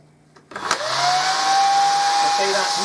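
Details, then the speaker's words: Hoover Dustette 100/2614 motor, run out of the machine and hand-held after overhaul with the good armature: spins up quickly to a steady, even whine with no rattle or scraping; smooth motor. "better sounds much nicer than the other one that sounds a smooth motor to me"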